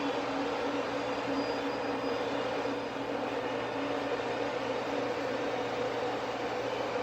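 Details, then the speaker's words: Ford Probe GT after new NGK Iridium IX plugs and VMS wires, warm after a drive and just shut off: an even rushing whoosh with a low hum as the electric cooling fans run on and fade, no knocks; normal. "But yeah, there it is. You can hear the fans getting quieter."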